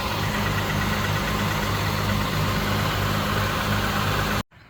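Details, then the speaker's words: 2006 Hyundai Tucson V6 FWD, first startup after exhaust leak repair with welded replacement pipe: steady, even idle with smooth low hum, no puffing or ticking from front pipe; exhaust sealed and healthy. "okay this is the first startup after the exhaust leak repair"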